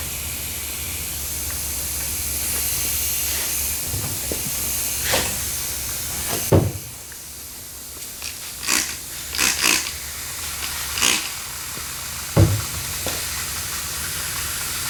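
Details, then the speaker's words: Backup portable air compressor filling with air: steady hiss of escaping air, then handling clunks; leak found coming out of the back fitting. "okay let's fill it with air you can hear the leak"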